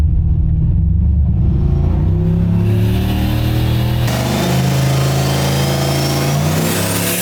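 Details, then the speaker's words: Turbo Oldsmobile on a Holley Terminator X, dyno pull with added timing: the note flattens as boost falls from 8 psi to about 2 psi at 5,200 rpm; the tuner suspects the boost controller's safety cut. "It's pretty clear that everything's laying over real hard with RPM. Even still, it's not up very much over the other run. All right, let's check this log out. Yep, right at 5,200. Boost went from 8 pounds back down to the 2"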